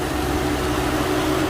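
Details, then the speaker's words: Infiniti G37/G35/Q40 at idle, AC off, coolant full, not overheating: steady airy rush with low hum, engine cooling fan running nearly constantly; fan control module being replaced as the fix. "get that on right now and this is right here what we about to change this thing two bolts take it out but it's on right now you hit it it's not normal coolant is good"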